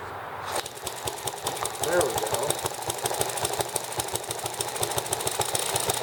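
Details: Microcosm ET7/M94 horizontal hit-and-miss model engine, spark ignition, first run after unboxing and oiling: quick sharp regular firing beats with light mechanical clatter, running steadily; normal.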